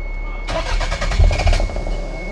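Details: Toyota MR2 with JDM non-VTEC engine, towed in after sitting unused (gas possibly bad): starter cranks fast and even for about a second but engine never catches; crank-no-start, cause suspected, not confirmed.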